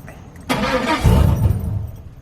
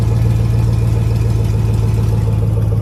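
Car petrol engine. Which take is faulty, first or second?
first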